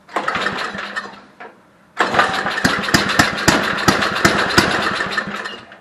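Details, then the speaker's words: Homelite Jacobsen Imperial 524 two-stage snow blower, 5hp Tecumseh, barn find that felt locked up; pull start on choke catches after a short pause into a quick, slightly uneven putter, then dies, likely out of fuel. "hey she runs yeah let's see if i can fire it up again here and keep her running this time yep i think we ran out of fuel"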